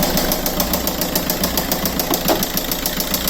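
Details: Petrol engine idling on only three cylinders with loud rapid metallic knock sounding like bearing damage, after breaking down on a trip from Poland; something other than bearing damage is suspected.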